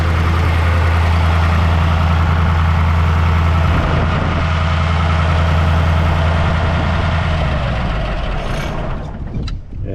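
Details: Caterpillar 3208 diesel that would crank but not start, fixed by freeing the stuck valve under the fuel cutoff solenoid: a deep, steady idle with an even low thrum at about 200 beats a minute, fading out as the engine is shut off by hand.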